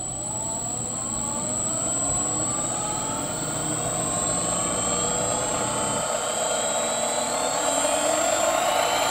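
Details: Sieg mini lathe motor, tested after speed control wiring and reversing two motor leads: smooth whine climbing steadily in pitch as it spins up, no knocks or rubbing; normal motor run.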